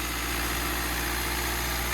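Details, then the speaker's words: Hyundai Creta diesel after injector repair and air bleeding, throttle held so revs stay high for a while: steady, slightly raised idle, even hum, no misses or knocks; a pipe leak noted; smooth high idle. "तो injector का काम करवाया है, इसलिए थोड़े RPM high रखने पड़ेंगे थोड़ी देर के लिए।"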